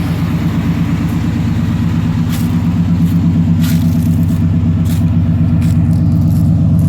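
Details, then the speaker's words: 1990 Chevrolet K1500 5.7L 350 V8, automatic, after new exhaust manifold and studs fixed a puffing, ticking manifold exhaust leak: steady even low idle rumble, no puffing or ticking; normal sealed exhaust. "Now she sounds as quiet as can be, as far as how it should"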